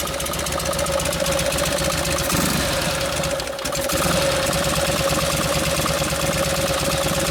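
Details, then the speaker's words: 1952 Harley panhead FL bobber after a Linkert carb rebuild, idle adjusted down after idling too fast; steady loping V-twin idle with an even beat, no misses; normal idle. "I had to adjust it while I was writing because it was idling a little too fast in"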